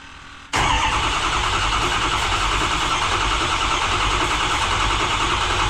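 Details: 2005 Ford F-350 6.0 diesel with newly installed custom side-exit exhaust, cold start: quick crank catches at once, steady deep diesel clatter settles into an even idle, loud through open exhaust; runs healthy.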